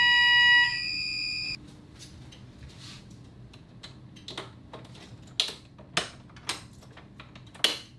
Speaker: And there we have it. Fire alarm was set off, reset it, I've reset the system.